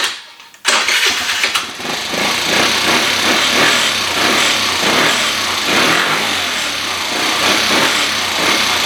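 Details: 2013 Kawasaki KFX 50 quad, a project that runs but needs tweaking: the small engine fires up, then idles unevenly with a surging, stumbling beat that never settles. It doesn't want to idle well, and more adjustment is planned.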